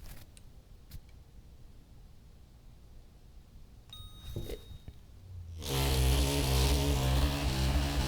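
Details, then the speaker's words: DJI Ronin RS2 gimbal at power-on: a short high-pitched beep over quiet motors because it still holds calibration for a Blackmagic Pocket Cinema 6K Pro while now carrying a Panasonic GH5; needs recalibrating. "Listen for that beep. If it's making that noise, it's because it was previously calibrated for my Blackmagic Pocket Cinema 6K Pro."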